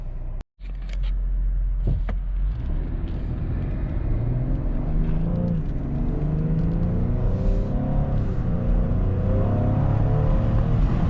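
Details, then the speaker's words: 2020 Ford Explorer ST with new AFE aftermarket intake, on a test drive pulling away; deep rumble climbing smoothly with slightly louder intake note than stock; normal intake sound under acceleration. "I don't know if it shows up on camera, but you can hear a little bit more of intake sound, so it definitely is a little bit louder than the stock intake."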